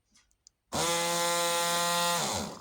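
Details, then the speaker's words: Rotary tool repaired after it stopped working: a strong, steady high-pitched whir spins up and winds down when powered from a better battery connection; it sounds much more powerful than on the other, half-dead-sounding connection. "hear how different that sounds. A lot more powerful. Well, I mean, if I can get a good connection. And that's compared to this. You can hear the difference in pitch."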